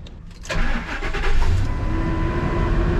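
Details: 2002 Ford F-250 5.4 listed at auction as "inoperable", with coolant below cold minimum, oil about a quart low and moisture in the crankcase: a brief starter whir, then it catches within half a second and settles into a steady, even idle, a healthy start.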